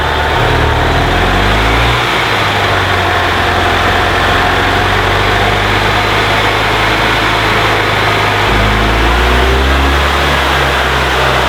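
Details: 2002 EZGO TXT gas golf cart, after repairing a broken wire that caused no-crank: small engine runs smooth and even with a couple of gentle speed changes, no misses or knocks; healthy.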